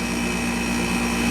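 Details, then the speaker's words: Westpointe MWDUK-05CMN1-BCK0 5,000 BTU window air conditioner (rotary compressor, R-410a), right after compressor start and not yet cold: a steady low drone with a faint high tone and charge heard flowing. No rattles or knocks, so the compressor is running normally. "And for whatever it's worth, it seems perfectly content. You hear the charge going through there. No funny sounds."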